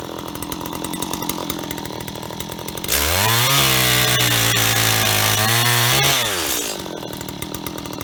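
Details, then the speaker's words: Stihl HT75 extendable two-stroke pole saw bought at auction, cleaned and oiled: steady idle, clean strong even high-rev tone while cutting, smooth return to idle; runs perfectly and chain is sharp. "ht75s from an auction and they work perfectly and they're even sharp so uh a win-win i think"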